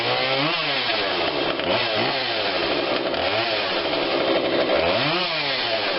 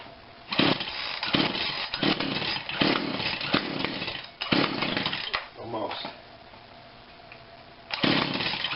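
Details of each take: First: Husqvarna 142 40cc chainsaw, warmed up, after carb tweak with adjuster tool (low adjustment apparently not needed): high buzzy two-stroke note rising and falling cleanly with throttle, no stumbling or bogging; normal running. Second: Husqvarna 142 40cc chainsaw, unrun for a long time, no primer bulb, fuel spritzed in, on heavy choke; short ragged bursts of buzz dying and catching, never settling: rough running on choke after long storage.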